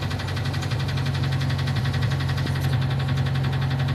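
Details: Ford engine: heavy, steady knock over a rough idle at about three per second, described as very loud rod knock; sounds like bottom-end rod knock, unconfirmed.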